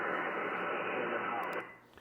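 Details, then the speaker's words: Yaesu FTDX10 HF receiver on 28.208 MHz: loud, steady hiss drowning weak signals, about S5 noise against S7 signals. Owner attributes the noise to his solar power system. "And but I do have a lot of noise from my solar system. About an S S5 on the noise, S7 on the signal."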